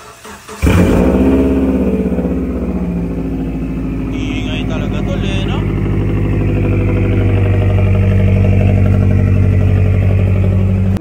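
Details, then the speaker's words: 2010 Subaru Forester XT cold start: catches and settles into a loud, fast, steady boxer idle, a little rough but even; normal noisy cold-start high idle. "cold start check. Pakinggan natin yung cold start check."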